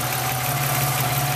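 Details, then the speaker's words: Chevrolet Lumina after swap, engine idling evenly with a light, fast metallic tick on top: one rocker arm is hitting the edge of the valve cover, the metal cover currently fitted. "there's a little bit of a noise turns out one of the Rockers are actually hitting the valve"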